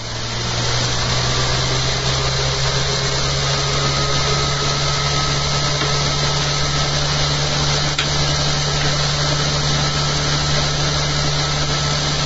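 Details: Eccentric bobbin and magnet holder rig with soft starter, after fitting new holder and removing rattling: steady even hum, low drone, motor commutator audible, no knocks or rattles; running much quieter than before.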